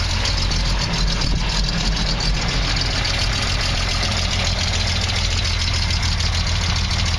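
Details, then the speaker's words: 1968 Triumph TR250, warm, very old gas after sitting all winter: steady low idle with an occasional uneven beat, a slight miss; lopey cam audible; about 50 psi warm oil pressure, a little low. "But it still runs. Misses a little bit, but not bad."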